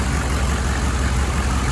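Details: 1995 GMC 3500 HD 6.5L turbo diesel at warm idle after injection pump replacement and timing: steady, even low clatter with no lope or stumble; the earlier weird idle is gone, sounding like a typical 6.5. Normal idle, good hot oil pressure.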